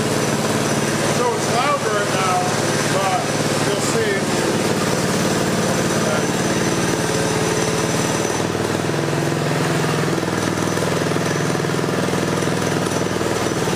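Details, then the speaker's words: Coleman CT200U mini bike with torque converter fitted and belt aligned correctly, stock idle setting: single-cylinder engine idling steady and even, low putter with no knocks or hunting; healthy idle. "So now I'm going to start it up. I'll show you how it'll just sit here and idle when your belt's aligned right. I didn't adjust the idle, this is stock."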